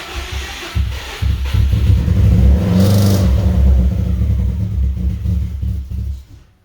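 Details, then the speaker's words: 2003 Subaru WRX rally build, first start after timing work, in neutral, loud fuel pump: low, lumpy, uneven rumble that surges and stumbles, misfiring, then dies; owner suspects possible compression issue, unconfirmed. "Idling anyway. It ain't happy. It's misfiring. And it died."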